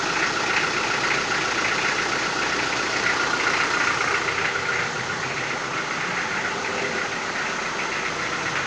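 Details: Toyota 4B diesel knocking after injection pump repair (plunger pair and nozzle replaced), cold start before glow plugs warm: hard even clatter about four knocks a second over idle, strongest cold, easing as warm-up revs drop.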